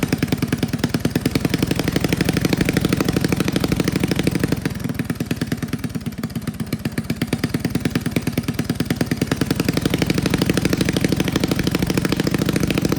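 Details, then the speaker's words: Old Russell 196cc four-stroke mini bike engine, sat for years; carb rebuilt with the jet and emulsion tube drilled out, throttle arm tightened for the broken idle screw: slow, regular thumping about three beats a second, idling evenly. Normal running. "Awesome, it sounds so cool. Oh, I'm so proud of myself."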